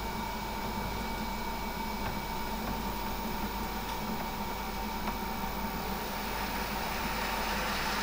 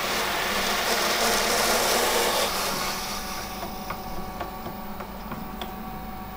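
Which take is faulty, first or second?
first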